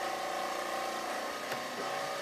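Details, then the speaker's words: Oxygen generator compressor starts and settles into a smooth, steady hum with no stalling or labouring after fitting a new starter capacitor; repair confirmed working. "i got the new capacitor in it works no explosions compressors going that's good"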